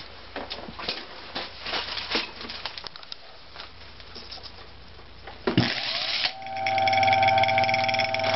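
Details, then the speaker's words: Antique Century repulsion-start induction-run electric motor, probably 1 HP or more, with ring-oiled brass bearings: brushes ride the commutator in a brief rough surge until the centrifugal flyweights lift them, then it settles into a smooth, even hum; normal start and run. "So when it fires up, you'll hear the brushes ride on the commutator, probably see a spark, and then it'll get quiet."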